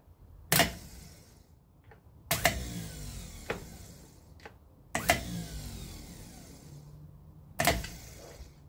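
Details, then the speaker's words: 1968 Datsun 1000 shed find, starter motor removed and bench-tested by shorting across the solenoid terminals while held still. Four sharp clacks seconds apart, each a solenoid snap with a brief whirr, as the gear throws out as it should. Normal solenoid engagement. "the solenoid pushes an arm and it throws that gear out towards the ring gear it engages with the ring gear and winds the motor over"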